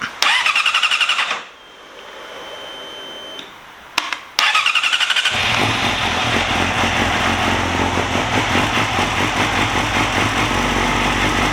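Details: Yamaha YZF-R6 after ECU connector replacement: two short starter bursts, catches and settles into smooth steady even idle; healthy start and running.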